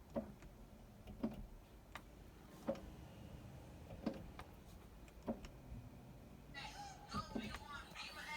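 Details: BMW E46 M3 no start, key in position two with dim flashing lights: sharp single clicks about every 1.5 seconds, then window motor whirring; weak battery, fixed with a new battery, caused by faulty wires to the sub amp.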